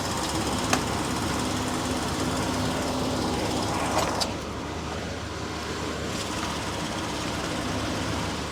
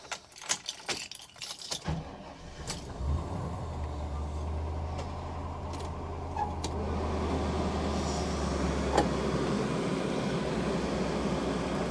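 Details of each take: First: 1999 Chevy P30 / Forest River Georgetown 303 RV with a leaking chassis AC, being recharged with the engine idling and AC on full high. A steady hum, then a click as the compressor clutch cycles off; gauges read about 20 low, 150 high. Low charge suspected. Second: 1999 Chevy P30 / Forest River Georgetown 303 RV after AC repair and system evacuation, engine started at idle in driveway, max AC: steady low engine hum with smooth even blower rush; AC runs normally, vents reaching about 55°F.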